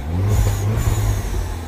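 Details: 2009 Mini Cooper S R56 1.6 turbo petrol with error 2880 and high-pressure fuel faults, runs well when warm: short clean rev, smooth rumble rising and settling, no stumble; throttle response normal here.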